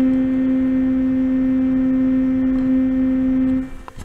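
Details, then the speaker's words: Be Quiet Silent Wings 4 Pro fan in the rear pull position on a Noctua NH-U12A cooler, at about 1600 RPM (50% PWM). It gives a loud, steady high-pitched tonal hum from the blades passing the tightly spaced heatsink fins, and this disappears around 1200 RPM. "these be quiet fans particularly in the back position makes a terrible noise on my nocto cooler now it may be different with different radiators or different coolers"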